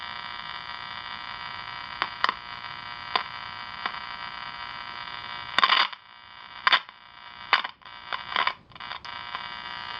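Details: Channel Master 6505 five-transistor AM table radio under repair: steady buzzing hum with hiss from the speaker, broken by scratchy crackles as capacitors are probed; fault source not yet found.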